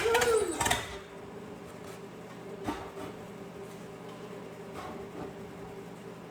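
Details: 1956 small-block 265 V8 (block built 1955 or 1956), bought non-running with truck manual transmission, fed fuel from a bottle: quiet, uneven, stumbling beat about four per second; misfiring, owner suspects spark plugs or wires.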